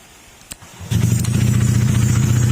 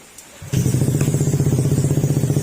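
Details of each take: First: Honda ADV150 scooter just after start-up at idle: a steady metallic knock of about four per second, like metal hitting metal, partly masked by muffler noise. It is blamed on running low on oil or poor oil maintenance; engine knock. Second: Honda ADV150 scooter after engine teardown and reassembly fixing a metal knocking noise caused by low or neglected oil, refilled with fresh oil and coolant: starts cleanly, even steady idle putter; knock gone, only loud exhaust noise remains.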